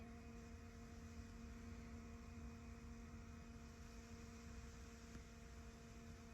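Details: 2015 Ford F-250 Powerstroke diesel, key on without starting after changing both fuel filters to purge air: quiet, steady electric hum with a few fixed tones, engine off. Lift pump priming normally.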